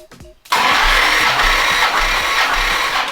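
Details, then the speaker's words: 1970 Plymouth GTX 440 V8, old engine before rebuild, warm, full throttle, all 8 plugs out, compression test: even starter whir with steady puffing rhythm, no firing; reading about 130-140 psi, hoped 180-185 after rebuild; normal cranking. "And I'm going to crank it from over here. And here we go. Full throttle, warm engine, 8 plugs out."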